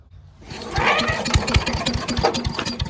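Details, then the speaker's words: Giant Vac leaf blower with 1982 8 hp Briggs engine, cold start after outdoor storage: catches with a few ragged, uneven pops, then falters instead of settling; hard starting from water in the fuel. "Yeah, she wants to go. Needs a little help. Clean some water out of there."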